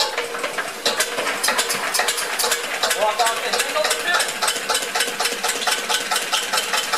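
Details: 1999 Metro Listeroid 6/1 single-cylinder diesel genset, rebuilt and tuned, test setup: steady regular clattering beat, evenly spaced, no skips or knocks; smooth normal idle.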